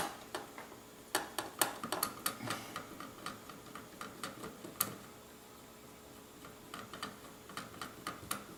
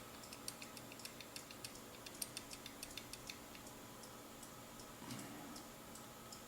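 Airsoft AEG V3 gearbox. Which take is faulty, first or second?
first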